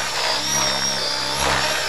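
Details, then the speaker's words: Large electric RC helicopter about 3 minutes into a usual 4-minute flight: high motor whine with a rotor beat that is slower and weaker. Head speed is dropping as the battery pack depletes. "Okay, so here we're about 3 minutes into the flight. I usually get about 4 minutes out of the sink. Listen how much the head speed's died"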